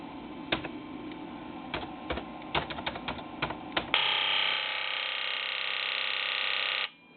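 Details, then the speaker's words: Ford Powerstroke IDM (injector driver module) on a controller test bench, commanded at 3900 rpm: scattered clicks then a steady high even buzz of injectors firing; valid signal, driver working normally. "okay obviously that sounded like it was working we see a valid signal"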